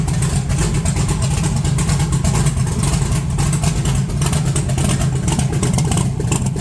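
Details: 1982 Chevrolet S10 with points ignition, 60 psi oil pressure, long sat: low rumbling idle stumbling unevenly with beats dropping out, breaking up off throttle when revved; engine misfire, bad wire suspected, not confirmed.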